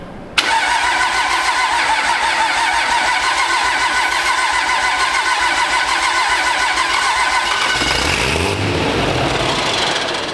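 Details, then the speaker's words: First start of a pro street truck after a Motec M141 engine management install: steady rapid cranking for about seven seconds, then a brief ragged catch. It won't run on its own, and ether spray is considered. Cranking no-start. "I mean, if it's a little cold, it cranks a little. But it's not starting, so we're gonna see if we can encourage it."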